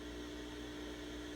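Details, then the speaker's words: Sears Silvertone Twin Twelve 1484 tube amp after a resistor was replaced with a quieter one, heavily amplified: only a soft steady hiss with a faint low hum, with the earlier thunder gone; the noise floor is clean. "here's the after which is louder but no more artifact just a hiss this heavily amplified mind you"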